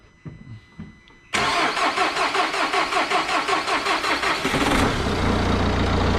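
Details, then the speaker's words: 2019 Vauxhall Vivaro 1.6 diesel after repair of an intermittent no-start with delayed dash lights: a few clicks, then slightly sluggish cranking at about 2.6 beats a second before it starts and settles to a steady idle, a normal crank and start. "a bit sluggish, but there we go."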